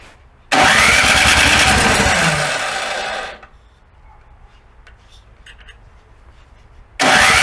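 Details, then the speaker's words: Snow blower engine after summer storage: two long cranking bursts of fast whirring that slow and fade without catching, so it will not fire. The owner attributes this to carburetor jets clogged during storage. "it's really like a team robot with multiple somehow several tiny holes that just get clocked when you store it"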